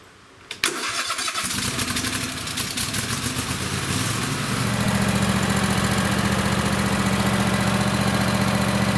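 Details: Craftsman lawn tractor, Kohler 26 hp Courage V-twin, just after installing an ignition coil conversion kit to fix running on one cylinder. It cranks briefly, catches fast and settles into a steady, even idle on both cylinders.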